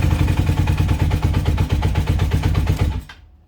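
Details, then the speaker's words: 1980 Honda CB400N after spraying lithium grease into the tachometer gears: engine idles with a steady even thump, and the earlier tachometer whine/squeal is gone. "well there you go you're pretty much well it completely fixed it i can't hear anything now"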